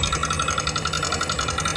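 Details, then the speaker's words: Yamaha NMAX new (155), fairly new bike, CVT pulley side dismantled to isolate: fast, even metallic ticking about ten clicks a second over idle from inside the engine's cylinder head; worn valve rocker arm. "coba perhatikan suaranya kawan-kawan suaranya cukup terdengar kasar pada bagian dalam mesin jadi di sini bisa kita katakan bahwa suara kasar itu berasal dari pada bagian mesin"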